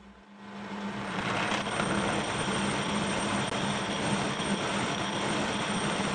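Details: Kearney & Trecker milling machine making its first cut after restoration: a steady hum and hissing cut with a faint regular rhythmic pulse each cutter turn. The owner suspects a very small, undetectable bend in the arbor and is not worried.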